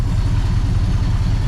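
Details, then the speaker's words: 1966 Ford Fairlane Z-code 390 FE V8, 4-speed, rebuilt Autolite 4100 carb, first run in over 20 years, not yet adjusted: deep slow lumpy burble, nothing knocking; idle speed too low, small fuel leak noted. "I mean, that thing is idling. I mean, that's way low. I'd actually want it to idle a little faster than that."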